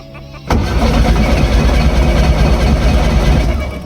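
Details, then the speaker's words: Abandoned VW Golf 1 1.4 carburettor: starter churns steadily about three turns a second, the engine never catches; no spark even after reconnecting the coil, and no battery light. "Nothing. Okay. We still don't have spark or anything."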